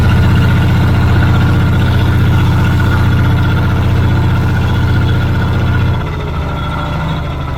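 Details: Old Caterpillar D6 dozer diesel around half throttle after fuel supply fixed, steady even beat about four firings a second, deep rumble, slightly quieter near end; normal running.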